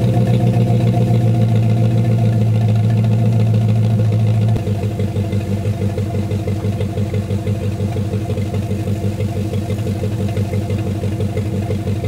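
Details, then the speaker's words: 1999 MasterCraft MariStar boat, newly installed TBI engine first start on hose after fresh battery: even steady inboard idle with regular low beat, no misses or knocks; oil pressure great, charging, running healthy. "we'll find out this thing is running absolutely great just listen to it"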